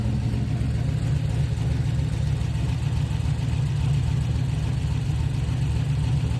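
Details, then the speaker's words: Chevy Nova, cold winter morning start: low, uneven, lumpy idle with an irregular stumble, like a cylinder not firing; injectors cleaned, computer sent out, new Holley harness, plugs, wires and coil replaced, cause still unconfirmed. "so obviously we're not getting combustion"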